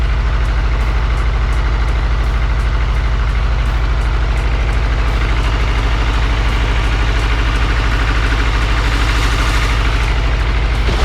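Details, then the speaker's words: Supercharged Integra, first start after reassembly: loud deep idle with a steady uneven thump about three times a second — misfiring, traced to two cylinders' spark plug wires swapped. "it is misfiring Oh all right well looks like we had a misfire I do not know why"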